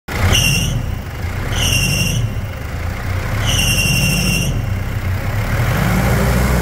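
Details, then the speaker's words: Mitsubishi Pajero Full 3.2 4M41 diesel at idle: shrill whistling squeals in three bursts from slipping AC and alternator accessory belts, before the external belts are replaced. "todo mundo conhece esse barulho esse ruído esse Silvo um verdadeiro Silvo de correias não é mesmo"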